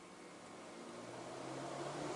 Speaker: Let's see if it'll control the cooling fan. And I'm going to hit 90%, and we'll see if we can hear it.